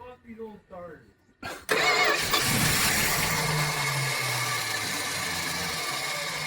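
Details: 1976 Dodge Dart barn find, unregistered since 1997 and stored outside since 2015: short crank, then it catches and runs to a rough idle only on fuel poured into the carb; supply from the tank fails.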